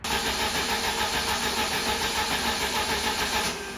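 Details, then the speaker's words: 1992 Jeep Wrangler YJ after gas tank swap: steady starter cranking with no firing though pump runs; two fuel pump lines installed in wrong orientation, starts once corrected. "there's two lines that go to the pump there make sure you have them in the right orientation or else the Jeep won't start your car won't start"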